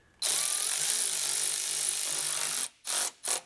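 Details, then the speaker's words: 1973 Chevy C20 Custom Deluxe 3/4-ton pickup, transmission pan gasket replacement: power driver buzzes steadily, then short bursts as the pan bolt snugs down and the note changes when it seats, snugged not cranked to avoid splitting the gasket. "You hear that? That noise? That means it just seated."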